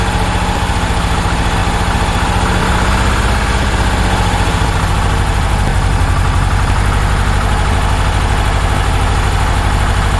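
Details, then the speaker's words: 1966 Porsche 912 flat-four, cold start around 60°F: lumpy uneven loping idle, smoking and burning oil; plug-pull test showed cylinders three and four not firing, owner suspects dirty carburettor; rough running on two cylinders. "one and two equal drop three and four no drop at all um because three and four weren't firing"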